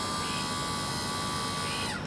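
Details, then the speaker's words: Johnson 88 outboard trim and tilt motor, tested on a battery after remounting the engine on a new transom mount (old tilt motor was rotted out): steady electric whirring hum with a clear whine winding down as power cuts; motor runs normally. "oh yeah oh yeah i heard it buzz i heard the sound of victory"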